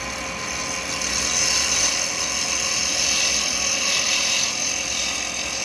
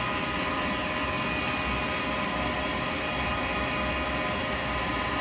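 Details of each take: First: Turning an acrylic pen blank with a 12mm round carbide chisel: a bright, steady hiss without chatter as the blank comes round and the cut turns smooth. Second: Lathe turning a thin acrylic pen blank with a 12mm round carbide chisel: rough buzzing rattle under the cut as the thinning blank flexes and chatters against the tool.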